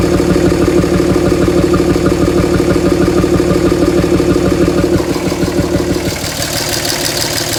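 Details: 2007 Dodge Ram 5.9 Cummins diesel clattering at idle, firm pulses about three a second with uneven shake underneath; rough idle for a month. Intermittent fuel rail pressure sensor, MAP sensor and overboost codes (no boost fooler fitted); owner asks if blow-by excessive.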